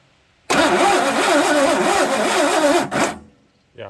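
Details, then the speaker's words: 1984 Ford F150 5.8L (351) HO, unrun 20+ years, after timing chain replacement: labored, slow, uneven starter churn for a few seconds, no catch; weak cranking from a damaged ground cable that got very hot, later replaced. "So I went there and checked components, and the first thing I realized is that this grounding cable was very hot, just that little bit of cranking we did. So my guess is it was all chewed up."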